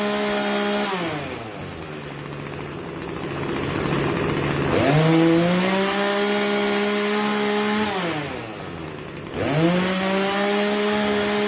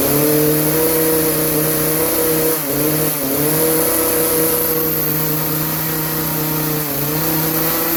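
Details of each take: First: Craftsman chainsaw that bogged under load, after the high-speed carb jet was turned about three-quarters of a turn clockwise: it revs cleanly to full speed and holds pitch under cutting load without bogging; it runs healthy. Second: Craftsman chainsaw, warmed up, before carburetor adjustment: held wide open, it stays at a flat, capped note with brief sags and won't climb higher. It bogs under load and runs lean; the high-speed jet needs opening for more fuel.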